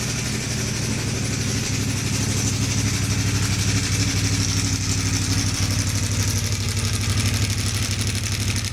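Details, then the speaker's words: CFMoto 450 MT at 4,767 km, microphone near the exhaust: loud fast clattering rattle over idle, louder than the exhaust, from a stuck cam chain tensioner piston; cam chain tensioner rattle. "Setelah menempuh jarak 4.767 km, tiba-tiba suara mesin e motor saya menjadi sangat kasar. Bahkan ketika saya rekam kamera saya dekatkan e ke knalpot, suara mesinnya mengalahkan suara knalpot."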